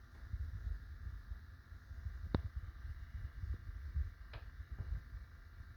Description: one of my minisplits makes a ticking noise, this video is to help troubleshoot.